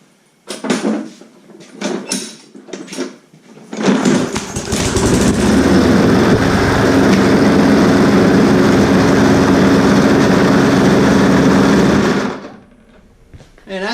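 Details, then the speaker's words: Lawn mower, primed and started after its carburetor diaphragm was fixed, catches and runs hard and steady but rough, with a violent shaking drone throughout; diagnosed as a bent crankshaft. "is shaking itself apart we got a bent crank"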